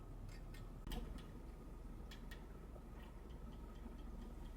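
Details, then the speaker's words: Older Elma watch parts cleaning machine in the cleaning cycle, cleaning Rolex hand-wound movement parts: light, crisp ticks a few times a second over a low steady hum as the basket spins; normal. "I don't know how well you guys could hear this tick tick tick noise, but it genuinely sounds like I mean you guys know what it sounds like, right?"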